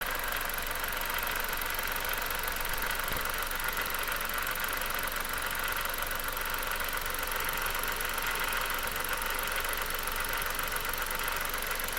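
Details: 2009 Dodge Caliber petrol engine idling with a dense, busy rattle over the running sound; source not identified.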